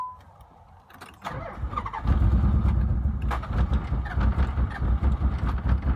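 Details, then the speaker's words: Nissan 300ZX misfire problem: it cranks and catches, then idles shakily and unevenly with lumpy pulses about twice a second. It stalls when the foot comes off the clutch and smells of fuel. Cause unknown. Rough idle. "so first I'll just show you guys how the car runs when I start it um but excuse a messenger it just dies out after like a couple of seconds"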